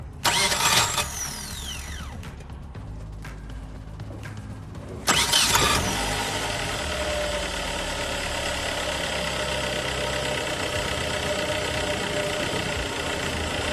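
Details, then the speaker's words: Nissan car failing for four to five months: a brief crank winds down with a falling whir, a pause, then another crank before it catches, starting after four or five tries; owner suspects the starter Bendix drive or ring gear, unconfirmed. "amigos pues ahí vieron ahí vieron el carro como que ahí quiso batallar para aprender pero prendió como la cuarta quinta vez es lo que les comentaba"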